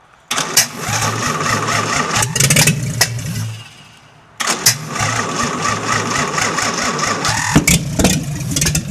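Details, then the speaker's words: 1952 International L130 pickup (ex-snowplow doodlebug) stock engine, first run after years sitting, no muffler: loud raw open-pipe idle with a brief dip and quick catch, then steady firing after freeing stuck throttle and sanding points; normal idle. "Woohoo! I am psyched to hear this engine run in who knows how long. and actually idling nonetheless."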